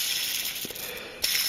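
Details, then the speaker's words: 2002 Craftsman air compressor model 919.167310, an estimated 2,000 hours, compressor crankshaft spun by hand during overhaul: dry, gritty rattle like a metal roller skate from the worn connecting rod bearing, which is to be replaced. "the uh the bearing on the electric motor was fine but this one here take a listen sounds like a metal roller skate"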